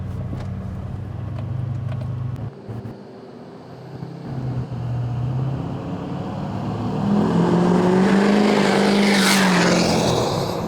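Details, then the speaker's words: GMC Duramax 2500 diesel with 80 hp tune, muffler delete and 5-inch straight-pipe exhaust, heard driving past; diesel rumble swells with a rising high whistle over the exhaust; turbo spooling cleanly, normal. "That turbo sounds really good. Good, I love it."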